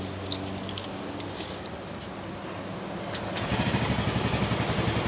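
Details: Yamaha Mio Gravis single-cylinder scooter, idling after a new side stand switch is fitted (the old switch made it stall when touched): even putter that firms up after about three seconds; clean idle.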